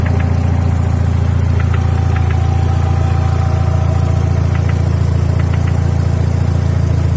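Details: Mercedes W124 E200 with M111 engine, warm idle: sharp metallic ticks in pairs, roughly three a second, over a steady hum; intermittent knock of unknown origin, sometimes absent, mostly when the engine is warm.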